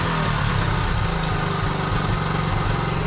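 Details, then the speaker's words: 1976 Honda Z50J1 Monkey after resetting ignition points gap from 1 thou to 12 thou: starts first time, steady, even single-cylinder run with a consistent low beat and no misses and noticeable power gain; normal running, gap needing slight fine-tuning. "See, it starts first time now. It's not done that before, so that's wonderful. Ooh. Well, straight away that's a much noticeable power gain. Definitely."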